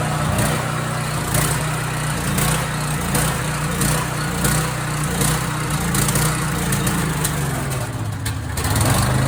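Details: Husky portable generator surging, speed rising and falling every second or so and hunting rather than holding steady; runs about five minutes then shuts off, and cleaning the idle mixture jet did not help.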